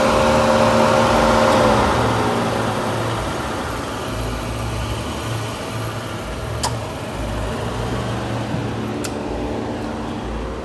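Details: 2013-2016 Nissan Caravan NV350 after converted A/C condenser replacement, leak check, vacuum and regas: steady idle with smooth even compressor and condenser fan hum, no squeal or rattle, A/C running healthy.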